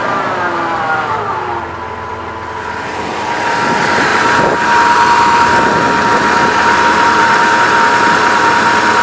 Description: When i hit the gas i get this whining noise. when i'm driving it's louder than my exhaust.